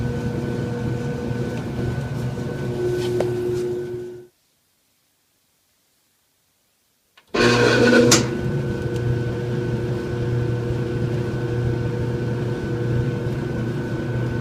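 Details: Kenmore dryer: steady motor hum stops, then motor restarts with brief rough surge before settling back to hum, struggling to start; hard start.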